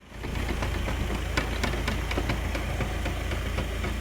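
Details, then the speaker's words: Car driving: loose, uneven knocking from underneath, especially when pulling away; found loose control arm bolts and nuts, tightened and noise gone. "yolda giderken Aracımın alt tarafından ses geliyor kalkışlarda takır tukur ses geliyor"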